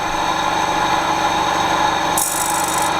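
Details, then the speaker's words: Saw-blade sharpener setup: the grinding wheel is brought up ("talonner") to a saw tooth; steady scraping rasp with a high hiss joining as the wheel touches the tooth, normal contact while setting the machine. "Donc là, je vais talonner maintenant. Ça veut dire que j'approche ma meule à la dent."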